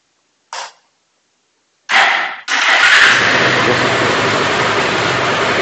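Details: Bajaj Pulsar 180 BS4 with starting and pickup problem, old 135 CDI installed: short self-start burst, pause, then catches at once and settles to steady even run; starting healthy.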